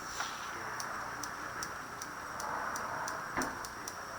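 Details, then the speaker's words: 1985-1988 Chevy Sprint 1.0L fuel control (MCS) solenoid after rebuild, bench-tested with a 9-volt battery: faint crisp single clicks about twice a second, firm pull-in, no buzz; working properly. "Nice solid, nice click."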